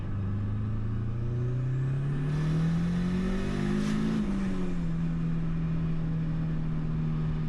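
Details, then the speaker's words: Small Honda engine with a large diesel-truck VGT, vanes locked about 70% closed, pulling up through the revs: a rising turbo whistle climbs steadily then eases off; normal, quicker spool with boost arriving around 4500 RPM. "I also noticed that this turbo is quite a bit more responsive, as in it spools up faster when I'm above that new minimum RPM of 4500."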